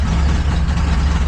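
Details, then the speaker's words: Truck in a DIY ignition-repair series with a mystery misfire, just refitted with a brand-new coil after no spark yesterday: rough, lumpy idle with uneven dips that needs throttle to keep running. Sounds like a cylinder not firing; owner suspects timing or the ignition circuit. "See how rough she's running? I have to get the gas to run. So, I let up the gas to die. Yeah. Sounds like the cylinder ain't firing or something. Something ain't firing, right?"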